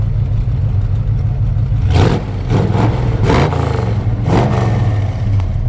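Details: 1970 Chevelle SS454, LS5 V8 (not numbers matching), factory 4-speed: deep, throaty rumble blips up cleanly and settles back, a few quick revs with no knocks or rattles; normal, healthy revving.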